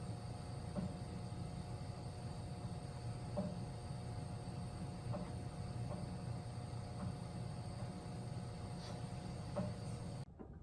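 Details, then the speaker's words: About 40-year-old Weil McLain boiler: low steady rumble with irregular knocks echoing through pipes and house. Suspected kettling from lime and scale buildup, to be fixed by draining, adding boiler cleaner and flushing. "If you listen closely, you can hear some of the knocking, and this really echoes through the pipes and in the house."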